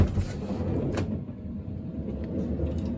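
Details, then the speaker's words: 2005 Honda Odyssey EX-L power sliding door after replacing original center rollers: runs with even low rumble, no creaking or squeak, smooth normal operation. "here's the after. No creaking."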